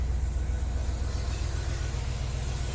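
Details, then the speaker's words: 1993 Dodge D250, 318 V8 with 3-speed automatic overdrive, idling after start: deep idle with a lumpy, uneven pulse and wavering loudness; runs rough, likely misfiring. Owner blames two damaged spark plugs and the plug wires. "Well, she's a good running engine, but she just, yeah, from those 2 spark plugs, she runs rough as hell."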